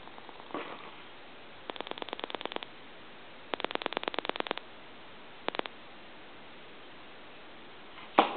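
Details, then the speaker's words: Gulf-logo gas pump telephone at final checkout after repair, redial sending pulses heard through the receiver: quick bursts of evenly spaced clicks, about ten per burst, with pauses; normal pulse dialing. "I'll do that one more time see you can hear the pulses through the receive so you know it's a really cool telephone"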